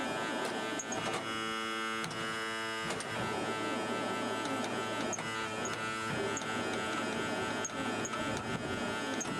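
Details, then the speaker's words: REO truck, first start of spring after sitting unused over winter, cold start with choke and throttle pulled out, in neutral with parking brake on: a loud steady electric buzz over the idling engine is the low air pressure warning, as brake air has not built up yet. "well it's gonna get loud that's just the low air pressure warning letting me know that i can't drive because i have no brakes"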